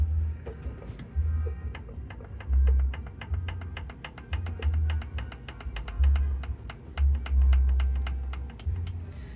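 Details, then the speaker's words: Hyundai 1.6L engine opened up, with piston number three rocked in its bore by hand. Loose, sharp clicking shows excessive piston-to-bore clearance (piston slap), which would sound like a rattle when the engine runs. "So, basically, that sound is the sound that you're going to be hearing on the engine when the engine is running. It's going to be rattling."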